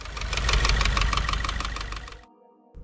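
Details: 2016 Subaru WRX FA20 engine idling after 6-7 miles of driving, possibly not fully warm; quick, even ticking knock fading as it settles, new noise, source unknown: engine knocking.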